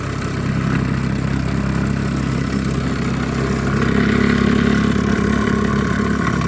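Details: Small toy steam engine, flywheel turned to start: even, quick chuffing beat of about four strokes a second holds steady as it runs up; sounds healthy.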